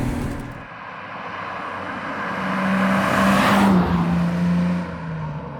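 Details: BMW 320i E36 with M50B20 inline-six, stock apart from a new intake filter, ex-automatic now manual: swings smoothly up through the revs and settles back, even pull, clean steady note, no knocks or rattles; healthy.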